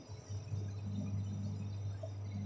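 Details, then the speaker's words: Homebuilt amplifier converted to class AB: low steady hum with faint buzz at the speaker output; DC offset unstable, rising and falling, sometimes jumping to 1 V; leaky DC offset suspected. "dia naik turun tidak stabil untuk DCO-nya dan timbul suara dengungan kecil."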